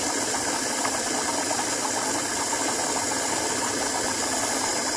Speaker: working after a few seconds it stabilizes and actually flows pretty decently